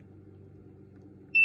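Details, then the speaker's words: Digital multimeter set to continuity with sound, probes on the metal points at the top of a car fuse; quiet background, then a clean steady high-pitched beep. Continuity, fuse is good. "So you touch one side to one side, the other side to the other. Fuse is good. Fuse is good."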